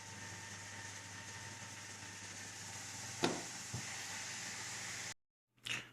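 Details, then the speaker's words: AMD FX-8350 stock cooler fan at its 6,000 RPM maximum, before replacement with a Cooler Master Hyper 212 EVO, in a small Zalman Z1 case. Constant loud whirring hiss with a steady high whine, no rise or fall. Loud cooling fan at maximum speed. "Actually, it's close to 6,000 RPM now. pretty noisy. It reached actually the maximum here is 6K."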